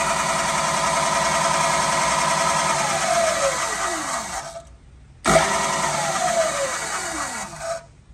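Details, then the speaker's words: New KBC Tools milling machine, first power-up before belt dressing: the motor and belt run with a rough, rattly high whir, then power is cut and the pitch slides down twice. The head sounds noisy; owner suspects the belt needs dressing. "okay so to start off i will tell you that whenever we first powered it up the the head seemed a little noisy to me"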